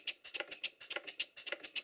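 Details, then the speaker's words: Stuart Models Twin Victoria model steam engine with loose valve gear and play in the crosshead and big end, reluctant to start: sharp clacks about seven per second like a pneumatic drill; suspects the piston hits the cylinder cover at full stroke. "it sounds to me like the Piston is actually hitting the cylinder cover as the Piston Rod is out at its full length"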